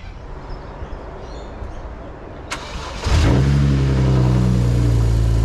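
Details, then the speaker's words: BMW E93 335i donor car with N54 engine and DCT, crash-damaged (coolant lines smashed, oil cooler intact), battery charged two days: a quick crank catches and settles into a steady, even idle with no knocks or misses; normal start, and it moved. "so okay so as you can see from that it started and it moved"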